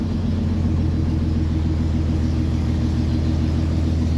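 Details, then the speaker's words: C30 just after start on choke, cooling not yet connected: a steady low idle rumble, slightly uneven and hunting; the carburetor, which has only one low adjustment, runs lean and needs richening. "shikes you got to do a little bit more adjustment on that carburetor cuz she U wants to be a little bit richer"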